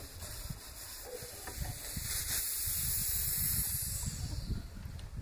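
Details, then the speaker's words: Zanussi ZRB 34 NC fridge (bottom freezer) that runs and hums but doesn't cool: condenser line pierced after the capillary tube gives only a short faint hiss, no gas left. Refrigerant leak and low charge, leak suspected in the freezer-door aluminium loop. "Когда много газа, тут может даже плеваться маслом. Небольшой пшик, и больше нету. Это значит, что есть утечка."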